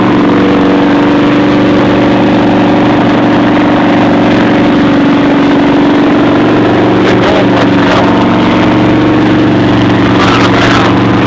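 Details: V-Max V4 motorcycle engine (motor #3), ridden before pulling the engine: deep, dull rod knock under the steady exhaust note at idle.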